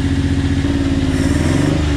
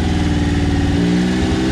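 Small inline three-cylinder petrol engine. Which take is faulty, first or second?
first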